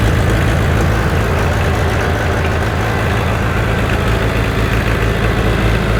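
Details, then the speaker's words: Freshly rebuilt John Deere 1010 diesel engine (pistons, rings, head and valves) at fast idle, still smoking as rings seat; steady even clatter with no knocks or misses; normal running. "I have to run it for an hour or so I'd like to see it calm down Blow by remember how that was smoking like crazy before sounds good"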